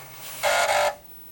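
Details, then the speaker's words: Untested Atari 1050 floppy disk drive powered on from one of the owner's own power supplies: half-second burst of fast head-stepping buzz, then quiet; power light on, drive seeks, basic sign of life. "so we could definitely hear and the power lights on and we could hear the drive seek so that's a good sign because that's a basic sign of life on the drive"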